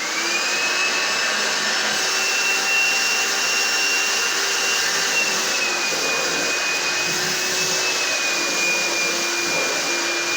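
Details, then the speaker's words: Found, slightly rusty carpet cleaner that previously would not draw water, now running with the pump on: steady even high rushing whir with faint constant whine, no surging; working, owner suspects a small blockage or trigger connection issue caused it. "Okay, I just put the pump and that on, and I do believe we're finally working. There was no reason this shouldn't have worked."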